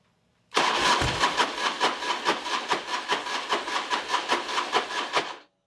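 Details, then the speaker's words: Harley big wheel bagger after a rebuild, with used fuel pump, sending unit and check valve; the starter churns about two beats a second with one faint early catch, then nothing; fuel starvation, won't start without starting fluid. "Man, it sounded like it hit for a minute. I'm going to put some go-go juice in here and see if we can get it to start."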